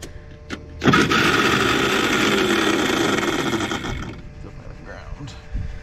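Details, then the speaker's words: Caterpillar D8H bulldozer sat 15+ years, pony starter motor cranking on a jump pack: slow, labored, dragging, uneven whir about four cranks a second, doesn't sound good; starter brushes sticking, starter to be pulled. "definitely doesn't sound real good though either yeah I think we're going to pull that starter"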